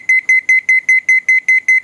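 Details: Sanyo 7 kg washing machine control board after no-power repair, bench powered up with no water level sensor (float) fitted: rapid evenly spaced high beeps about five per second, nothing else running; missing-float alarm.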